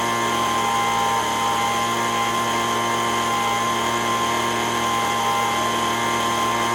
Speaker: so now that we know that it's running and it's not doing the fluctuation behavior like it was before, I'm going to hook up my digital tachometer here again and see if I can tune it to within the 7,000 to 9,000 RPM.